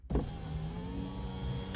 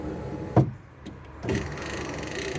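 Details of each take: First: Project Ruby window, previously stopping partway and not going back up: motor whirs at even pitch as the glass travels all the way down, no binding or labouring; normal operation, though owner reckons some gumminess remains. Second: Project Ruby window: one sharp clunk, then a strained whirring motor for about a second as the regulator motor recoils; the cam has slipped off the guide and the motor must wind fully back for the cam to go under the guide.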